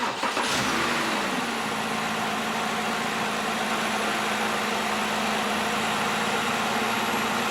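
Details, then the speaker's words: 2007-2011 BMW 328i 3.0L after new spark plugs gapped 0.030 (had run slightly rough before): cranks, catches quickly and settles into a smooth, even idle with no stumble or misfire. "oh yeah listen to that baby purr oh it runs like a top perfect"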